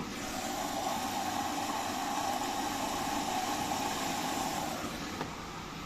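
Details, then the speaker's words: Siemens washing machine, drum spinning: steady rumble with a gritty, rough hiss; ball bearings seem broken apart, drum bearings worn and need replacing. "Kazan dönmeye başladı. Sesi duyuyor musunuz bilmiyorum. Bilyeler dağılmış gibi. Bakın bu ses hiç iyi değil. Bilyelerde sorun var gibi."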